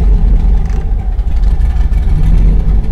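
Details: 2000 Chevrolet Silverado, 5.3L LM7 V8, turbocharged, after cam swap, idle airflow table reset to stock: deep rumble that sags and surges, kept alive only by throttle blips; stalls at idle, idle airflow too low.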